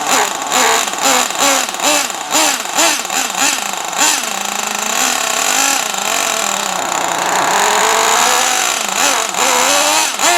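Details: Traxxas T-Maxx 3.3 nitro RC truck after 8+ years stored, very cold out: high-revving buzz rising and falling with throttle blips, clean pickup without sputter or stall; runs nearly perfect, like brand-new.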